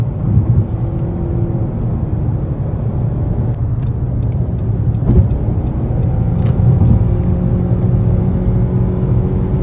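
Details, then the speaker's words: 2017 Nissan Rogue Sport/Qashqai MR20DD, driving with AC on after replacing the VIN J relay that caused P0626 crank-no-start: a smooth, even engine note under road rumble with no stumble or hesitation; the engine runs as it should, the best it has run. ">> Yeah. That's how this thing should run. So, I'd recommend this relay, this Import Direct relay as a performance upgrade. It's like the best this engine's ever ran."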